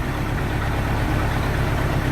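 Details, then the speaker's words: 1986 Sea Ray inboard engine during restoration, after a fix for a rough idle and a fuel line leak: a deep, steady, even idle with no lope or shake, described as night and day smoother, roughly 500 rpm. "Oh yeah man that's like that my night and day from what it was that smooth"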